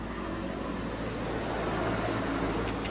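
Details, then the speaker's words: Honda Vario 125 scooter engine, freshly rebuilt from scratch, first run after idle adjustment, radiator cap off: soft, even idle with a steady low putter and no knocks or rattles. Now smooth, unlike at first. "Nah tinggal dicek aja suaranya sudah halus kembali beda dengan yang pertama kalinya teman-teman"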